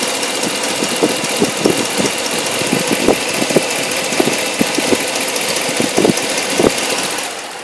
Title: Hemi 2013 strange noise